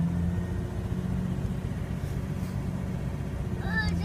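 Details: 1998 Jeep XJ Sport, no check engine light, after IAC, TPS, plugs, wires, cap, rotor, fuel pump, air filter replaced: uneven wavering idle thump, evens out near 1000 rpm with throttle; owner suspects IAC, unconfirmed.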